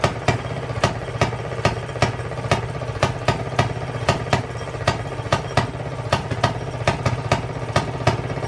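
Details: Circa-1920s Maytag two-stroke washing machine engine, said to be rebuilt, first start after 5+ years sitting, after cleaning the points: sharp pops about twice a second, steady then skipping beats; healthy hit-and-miss running.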